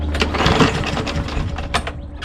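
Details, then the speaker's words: Craftsman M110 (MTD) push mower, Briggs 550EX auto-choke engine, choke flap closed, clean oil: short rattling recoil pulls that turn it over but never catch. Cranks, no start; later found to have spark but no fuel, carburetor suspected. "It's clean, almost brand new, but it won't start. And it's an auto choke, and the choke flap is closed."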